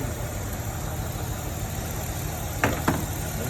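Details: 2007 Hyundai Tiburón V6 with codes P0265 and P0302: lumpy, uneven idle with a stumbling beat and sharp ticks as cylinder 2 drops out; cylinder 2 misfire, suspected injector wiring fault, wire later repaired.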